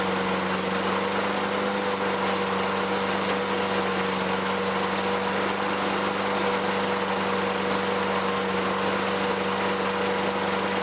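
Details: 2003 Toro Recycler 20016 with Tecumseh 6.5 engine, a trash find, runs after carb cleaning and gas-tank debris removal. It gives an even, steady drone at constant speed with no misses or surging. Light smoke fades; no oil in the air filter.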